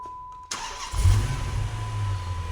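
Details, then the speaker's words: Dodge Magnum 5.7L wagon, first start after an Edelbrock E-Force supercharger and Magnaflow/JBA exhaust install: short crank, catches straight away and settles into a steady, even, deep idle; a clean, healthy start. "Not bad at all. Sounds good."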